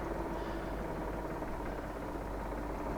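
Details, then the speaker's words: Poclain 90B excavator diesel after bleeding air out of the high-pressure injector lines one cylinder at a time: steady, even low rumble with no misses, now running on all six cylinders; normal idle. "it was running on all six cylinders"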